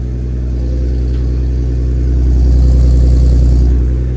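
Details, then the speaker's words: Turbo BMW E36 first start after rear subframe reinforcement and polyurethane bushing install, car in the air: even six-cylinder idle with a smooth exhaust note rising briefly on a light blip; no leaks or rattles, running normally. "Exhaust sounds good. I think we're Gucci. I think we're Gucci."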